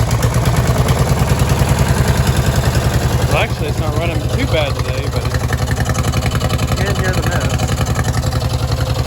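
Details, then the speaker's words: Peerless 820 two-cylinder tractor "Li'l Red" idling with a low, loping, lumpy beat of uneven pulses around three a second, running on only one cylinder. The other plug is fuel-fouled and the choke isn't working right, heard before the plug change. "so i'm gonna show you how red is running right now which is not good because it's only got one cylinder going"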